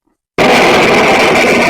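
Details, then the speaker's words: Valve amp on the bench, reverb control at halfway: a knock sets off a loud, sustained crashing roar with a high ring; its level follows the reverb control, suggesting a fault upstream of the reverb pot, not yet confirmed. The amp also cuts out and blows mains fuses. "you can actually affect the the level the volume level of that noise with the Reverb control which indicates that it's Upstream of the Reverb pot"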